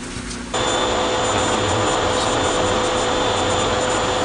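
A loud, steady roar with a thin scraping whine over it, from a dryer drum rubbing metal on metal.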